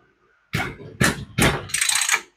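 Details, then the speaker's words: Mantis tiller engine before carb rebuild, recoil pulled four or five times: each pull gives a strong, firm puff and resistance; compression is good. "now that's compression okay"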